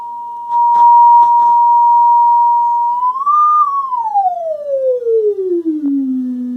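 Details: GE SC2310B 8-track AM/FM stereo, about 1972-73, test tone fed to the ceramic phono input: harsh, buzzy sawtooth/square-wave-like sound instead of a clean sine, then gliding down. Distorted output; one amplifier channel faulty, with a notch seen on the scope.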